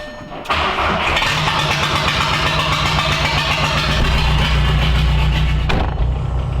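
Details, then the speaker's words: Show car air suspension compressor after repairing its power-wire fuse: loud, strong, even motor drone with a fast steady buzz, then clean cutoff; running at full power again after months of weak supply. "The compressor's going. And I haven't heard it this loud in like probably 3 months, because it was never getting the right amount of power, because that thing was probably on its last leg and I never saw it."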